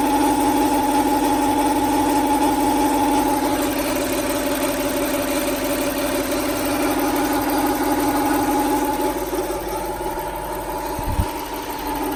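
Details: 1995 Lexus SC400 at idle, after long storage and new timing belt, water pump, idlers, plugs, wires, distributor caps and rotors: light even tapping about three per second from the top end, possibly bank 2; cause unknown.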